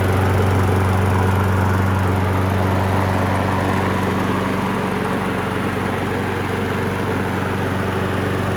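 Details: Abused Craftsman lawn mower after carburetor cleaning: the small single-cylinder engine holds a steady, even drone at constant speed with no surging, sputtering or misses.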